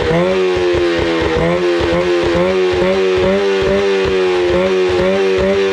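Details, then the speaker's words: 25HP Mercury outboard that sat 4 years, after carburetor cleaning and fresh gas, with the high idle backed out: hums at a fast idle with an even, slightly pulsing beat and no stumbles or knocks; runs phenomenally. "I mean, the engine is running same as it came out of the factory, guys. The idle was a little bit high because last time I was messing with it, I I had messed with the idle, so I backed the idle out. It runs absolutely phenomenal."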